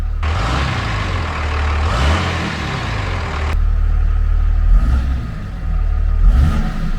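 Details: 5.9 Cummins 3rd-gen diesel, first fire after installing a Cool Hose intake hose replacing the factory tube and muffler: deep, even idle clatter with a brief rev blip settling smoothly; no difference noticed at idle.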